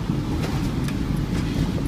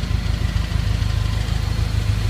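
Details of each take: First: 1999 or 2000 Honda CR-V, 192,000 miles, check engine light on and lacking power: heavy exhaust hiss with ticking over the engine rumble, the whole car shaking, from exhaust leaking past a clogged catalytic converter; later fixed with new exhaust and catalytic converter. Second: Honda CR-V (1999 or 2000) with 192,000 miles idling steadily with a smooth low rumble and no exhaust hiss or ticking, after the clogged catalytic converter was cut off and a new stainless exhaust fitted.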